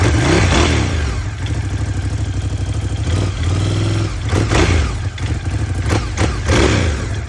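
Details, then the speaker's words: 2018 Ducati Scrambler 1100 Special, 730 miles, clatter from horizontal cylinder since new: loose, uneven clatter over the twin's throb, busier as revs rise; owner suspects piston slap, Ducati says normal. "this is a 2018 Ducati 1100 special has 730 M on it and since new it's been making horizontal that and ducatti says it's normal but I don't feel that it is"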